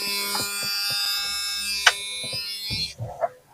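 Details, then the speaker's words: Electric fuel pump with key on, testing flow through the tank sending unit: steady high-pitched whine with light ticking for about three seconds, then stops; fuel flowing strongly, pump working normally. "Okay, I can hear it. Now, I'm going to go to the other side of the car to see if I can see it. Oh, yeah. It's flowing big time, actually."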